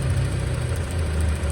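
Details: Honda City with misfire and owner-reported unstable idle: low, uneven petrol idle with a lumpy beat; dirty throttle body and spark arcing from high-tension wires to the valve cover instead of the plugs.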